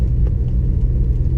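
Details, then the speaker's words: Honda S2000 on purchase-inspection test drive, crawling through figure-eights in a parking lot: smooth, even low rumble with no knocks or clunks; suspension sounds healthy. "pretty smooth very good sometimes if there's a suspension issue you'll hear at this point backwards no problems"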